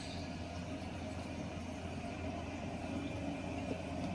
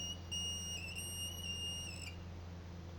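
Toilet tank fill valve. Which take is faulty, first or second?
second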